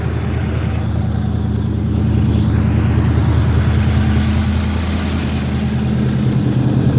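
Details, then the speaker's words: 1972 Chevrolet Chevelle, sat five years, now staying running despite a small drip at the rear: deep, steady V8 burble at idle, even low rumble, no knocks or misses; idling healthy. "so if we fix that little drip in the back listen to her she says yeah it's good i like it"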